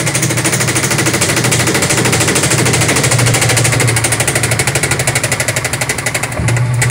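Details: Fast hard banging, roughly three knocks a second, hammering through the spin of a Sharp automatic washing machine's very noisy spin dryer; the tub assembly is defective.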